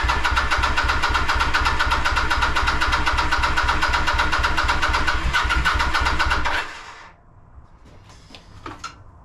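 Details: Kawasaki VN900 Bobber under restoration, no spark and no fuel, ECU returned with no fault found or codes: starter churns steadily about four times a second for six seconds, never fires, light keeps flashing; crank no start.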